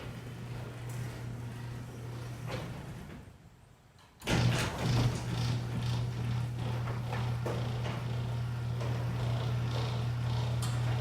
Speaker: Everything sounded good. All the squeaking was gone. So I believe that was the cause, but I'm still going to lubricate the rollers as well, just as a precaution.